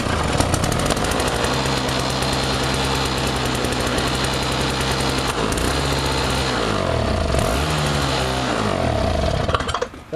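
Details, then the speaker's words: Toro two-stroke snowblower running on a fuel mix with too much oil: a busy, rattly buzz holds steady, then revs dip and surge near the end. It still runs pretty well despite the over-rich oil mix. "I also got this Toro done thing uh runs pretty good but I kind of over mix the uh mixture so this thing freaking"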